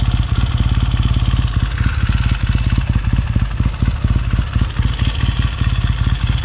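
Even, lively twin beat with crisp pulses and clean blips, no knocks or rattles; the rebuilt motor runs healthy.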